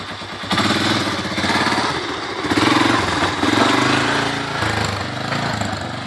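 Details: 1985 Honda 250SX ATC three-wheeler, a basket-case restoration, first kick start: a crisp buzz that catches and keeps running, rising and falling with throttle blips; the engine sounds healthy.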